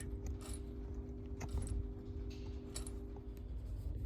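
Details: VW Touran TDI diesel turbo, refitted reconditioned turbo with a part found loose inside; irregular light metallic clicks and jingles over a low steady hum like something rattling inside; whether the turbo is damaged is uncertain.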